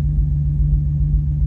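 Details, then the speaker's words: 2002 Ford Excursion V10 at idle near exhaust: deep rumble with uneven beat and faint pops, smooth then rough; misfire followed the swapped ignition coil from cylinder 6, failed coil. "there's this almost like a it's an uneven sound to the idle it's almost like a little pop almost sounds like a an exhaust"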